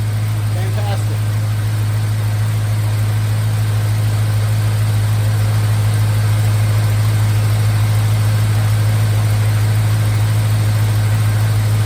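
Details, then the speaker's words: 1951 Hudson with an LS 5.3 V8 from an Escalade on an eBay swap harness, first start, running without a MAF sensor, about 40 psi oil pressure at idle, power steering working; deep, steady, even V8 idle with no stumble or knock. Normal idle. "power steering works good sounds good she's running just like it was in the Escalade"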